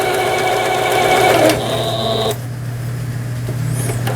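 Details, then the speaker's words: Singer 7430 Japanese-domestic 110 V sewing machine after repair (capacitors and fuses burnt from 220 V use): quick, even needle chatter about 3.5 strokes a second with smooth motor hum, reverse and zigzag stitching; normal sewing operation. "예 후진 버튼 정상 작동되고 있고 요게 이제 지그잭 패턴이 되겠습니다 지그잭 바느질 되고 있고요"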